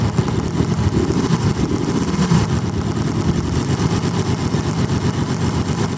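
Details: Yamaha Banshee two-stroke quad with a dirty air filter and likely dirty carbs, revved in the yard: uneven, lumpy revving with a ragged beat, as if one cylinder is dropping out; an odd noise from the left side suggests crank or cylinder. Owner suspects a blown left crank seal. Misfire.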